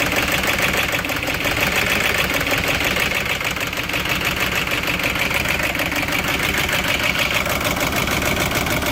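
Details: 2006 Audi A6 4.2 V8 petrol (BAT engine code, chain-driven), 275,000 km: cold-start idle with busy metallic rattle and uneven stumbling misfire; timing chain problem suspected, not confirmed. Owner thinks repair needs engine removal.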